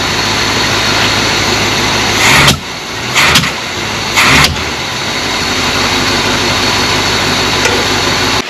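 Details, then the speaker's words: 1978 Chevrolet C20 3/4-ton 4WD pickup with a 350 small block, running poorly and lacking power, with no known history: rough idle, and with any throttle it coughs then backfires through the carburetor in sharp pops. Cause not yet found. "So yeah, as you can see there, every time he goes to accelerate, you give it any throttle, it coughs and then backfires through the carburetor."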